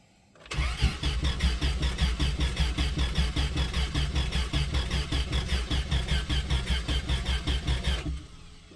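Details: 1995 Plymouth Voyager, 209,068 miles, sat four years, missing air filter, old gas: steady cranking about two and a half beats per second for seven seconds, never fires; fuel pump heard, owner suspects distributor timing way out.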